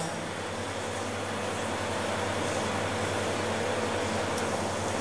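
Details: Homemade refrigerant recovery unit mid-recovery from an air conditioner: steady, even compressor hum with a constant low drone and no knocking or rattles. Running normally.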